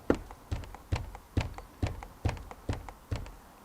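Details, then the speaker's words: Driver's door of a 2023 Ford e-Transit L2 H2 electric van (198 kW motor, 1,200 miles) rocked by hand; steady dull knocks with a faint squeak, about two a second, from door play against the rubber door seal. "and it's this rubber door seal making the noise so is that the issue I'm finding is that just a Transit thing"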